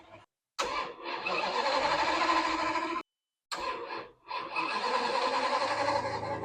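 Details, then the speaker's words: Lamborghini after an engine and transmission rebuild, with oil pressure built and plugs, coils and fuel relays reinstalled: two three-second cranking bursts, starter churning near four beats a second, never catching. Crank no-start with no fuel pressure; a battery charger didn't help. "For some reason, the car wasn't starting."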